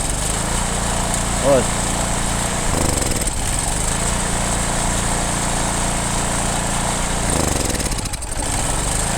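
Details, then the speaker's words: Heavy generator, said to be German, that only runs on choke: runs steady on choke, then sags and stumbles as the choke is eased off; clogged carburetor jets suspected. "Я думаю що забитий карбюратор будемо дивитись"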